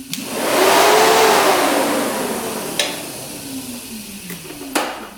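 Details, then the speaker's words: 2013 Arctic Cat Wildcat 1000cc UTV whose radiator fans weren't working, fan tested by applying power directly. The fan spins up to a smooth whoosh, then whirs down evenly when power is removed. Radiator fan works normally. "so that fan is [Music] working check this one"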